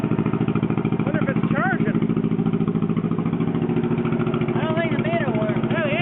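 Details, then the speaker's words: John Deere 420 Crawler two-cylinder tractor, running on a borrowed battery: loud, raw unmuffled pop-pop at roughly three and a half beats a second; loud exhaust from a rusted-out muffler. "one slightly running loud of course that's what a rusted out Muffler will do for you"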